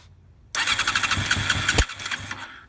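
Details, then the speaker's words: 1990 Honda CBR600 carbureted, previously bogging and dying when revved, fuel spewing at the carb inlet, choke nearly off: catches after a short crank, then runs ragged with surging pulses before stumbling and dying; owner suspects an air leak. "So, uh, it just started up for me, but it's running really erratically. It sounds like there's like an air leak,"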